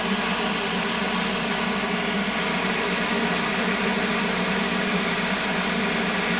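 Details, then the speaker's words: 1970 Triangle Mobile Home Products bathroom exhaust fan, 115 V 60 Hz, oiled about two years ago, with worn bearings from long running dry and dirty: rattles at startup, then an even, steady whoosh and low hum at speed, running smoothly. "makes that rattle when you start it but operates smoothly once it's running kind of makes a slightly different sound every time you turn it on"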